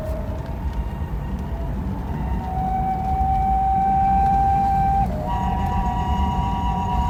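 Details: BMW 635CSi (E24) driving: thin steady whine rising and falling with road speed, not engine rpm, seeming to come from the engine area, quieter under load, fading when hot; worn driveshaft center support bearing, fixed by replacement.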